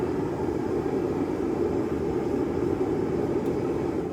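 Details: Sunfire heater just after light-off: steady, even roar of burner and fan with no pulsing, sputter or knock; puff of black smoke at startup said to be normal; burning cleanly.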